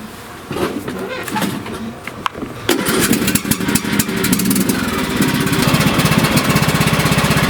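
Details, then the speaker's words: John Deere riding mower whose drive slipped and smoked, after replacing the drive belt (GX20006) and before refitting the deck. Cranking bursts, then it catches and settles into a steady, even chug, driving forward and back properly; normal running. "Okay, she's good. It's driving properly."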